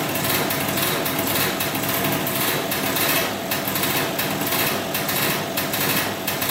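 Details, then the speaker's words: 2003 Polaris Sportsman 90cc two-stroke ATV, first start after new piston, cylinder and oil pump, on about 40:1 premix for break-in, smoking a lot. High buzzy steady idle, no knock or rattle; normal idle. "let's see if she starts up here she runs that's good we have to make sure now the pump is working"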